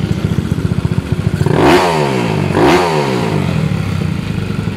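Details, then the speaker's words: 218cc 4-valve single-cylinder motorcycle engine refreshed after 6 months of daily use, 66 plus 6 CSRK: crisp thump at idle with two clean throttle blips rising and falling smoothly; pulls freely, sounds healthy like a big bike. "the sound. Parang big bike na single cylinder ha."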